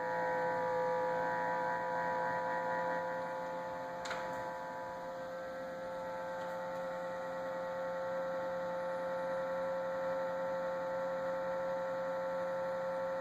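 A steady, mid-pitched hum with a faint whine stays constant throughout; the fridge is humming abnormally, cause unknown.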